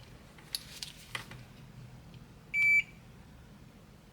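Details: Midea air conditioner control board after replacing the shorted diode with a 40 V 3 A part: single short quarter-second meter beep with faint clicks, then quiet; the short is gone.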